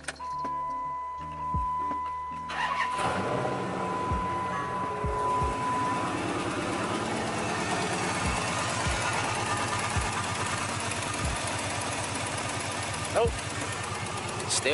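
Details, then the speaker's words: 2006 Dodge Charger 5.7L Hemi after resealing with RTV: once started, a light tick rides over the idle in time with it; the exhaust manifold still leaks between cylinders 5 and 7 and blew through the sealant; a cracked flange is suspected. "Still ticking. Blew right through it. Damn, blew right through it. God damn it, that go to smoke. It's leaking between 5 and 7, and it just blew right through it, so."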